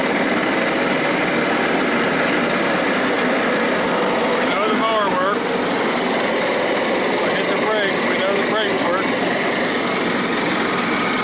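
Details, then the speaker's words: John Deere STX38 riding mower after replacing broken drive belt and tensioning spring in notch: constant strong engine roar at even speed, no slipping, squeal or knocking. Normal running after repair. "And now your belt has tension. See if it kicks on the mower."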